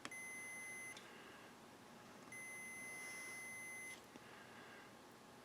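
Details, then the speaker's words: Old Texas Instruments calculator battery pack from flea market, continuity tester across cells and ends: two steady high-pitched beeps, about one and 1.5 seconds long; all cells shorted. "Just check the continuity between the cells and the ends here. All these cells are shorted."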